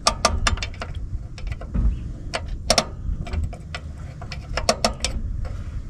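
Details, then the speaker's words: Rear drum brakes on a 1976 Ford E-250 van being adjusted: sharp ratchet clicks in quick bursts as the star wheel is turned through the access hole, tire rotated until the brakes just drag; normal adjustment. "And you want to turn the wheel. Do a few clicks, move the tire. Once you hear the brakes drag, that's good."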